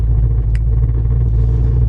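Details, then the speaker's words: 2009 Audi S5 test drive at auction, floored at full throttle; deep heavy rumble with no rise in pitch, engine bogs down instead of pulling; cause unknown (clogged cats wondered about for another car). "See? Even this one is bogging down, like I'm flooring it right now."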